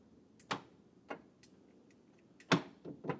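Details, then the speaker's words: 2002 BMW E46 with a weak battery on a charger; the central lock button makes the relays click sharply and irregularly, about six in three seconds, but the door never unlocks; a button switch was found broken. "And if I do the same thing with the central lock button, you can hear the relays and you can hear it want to"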